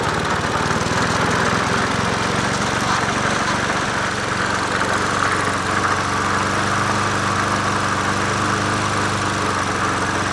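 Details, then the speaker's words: Old free Murray 20" push mower #20201D, missing gas tank, carburetor just coaxed into running, no air filter fitted; single-cylinder runs loud and continuous with a slightly ragged uneven note at steady speed — rough running. "it's running but we're killing the mosquito better it runs yeah it runs yeah it runs"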